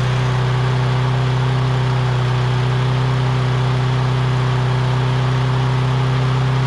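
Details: Lawn-Boy big-wheel push mower with 6.5 hp Kohler engine, test run (previously would only run on starting fluid): steady, even single-cylinder drone holding speed with no misses, surging or hunting; running cleanly.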